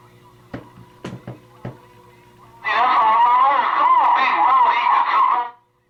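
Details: Grant LT radio, transmits and receives fine, raspy wavering insect-like buzz from the speaker, heard only with volume turned down or squelch on.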